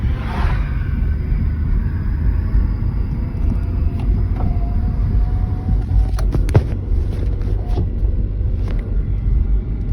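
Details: 2013 Hyundai Veloster at idle with the clutch pedal released (clutch engaged): a steady low drivetrain hum from the gearbox side with no knocks; the cause is unclear.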